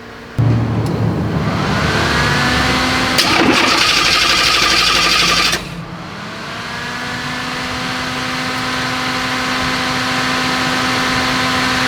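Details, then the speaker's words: 1935 Ford pickup just converted from carburettor to Holley Sniper EFI, warming toward operating temperature: a high, steady belt squeal rides over the idle and holds after it settles; just a slipping belt, otherwise running well. "All right. That squeal is just a belt, but everything's looking good."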